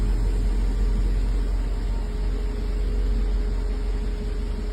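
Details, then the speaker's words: 1984 Mercedes 380SL after its original 40-year-old ECU was replaced with a new-old-stock unit (the oxygen sensor had been replaced earlier) to cure rough idle and black smoke: a steady, even low idle with no misses, only a tiny discharge at startup and no black smoke. "it definitely was the engine control unit um if you know 40-year-old part it it happens uh but she's back to normal"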